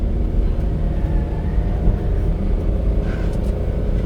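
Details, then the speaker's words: Suzuki Carry dump truck pulling up a steep hill in fifth gear, lugged on a cold day: deep, even rumble holding steady with no surging or slip flare; clutch not slipping, fuel and spark fine, truck healthy. "So this does pass our test. Easy. Fifth gear. Um and you just lug it out. That shows you the clutch is not slipping."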